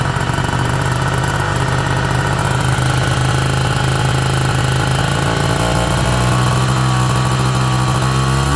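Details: Peugeot Ludix/Speedfight two-stroke scooter after engine rebuild: rough running with irregular pops and crackles breaking up the buzz as revs shift; engine popping, cause unclear.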